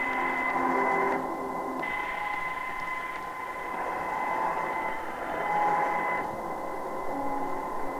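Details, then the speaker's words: Sangean ATS-909X2 radio on telescopic antenna, compared with Tecsun PL-990x: steady high-pitched whine under the radio audio, unchanged when switching bandwidth; suspected internal interference, not confirmed. Constant whine in radio audio. "now unfortunately you hear that [Applause] [Music] i have no idea what that is oh no it's some type of internal lines but"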